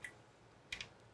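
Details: Raritan Dominion LX-108 IP KVM power supply with bulging capacitors, powered up: sharp faint ticks, three in under a second, irregular over near silence, no heat. The PSU keeps trying to start and dropping out; the clicks come from the supply, not the fan.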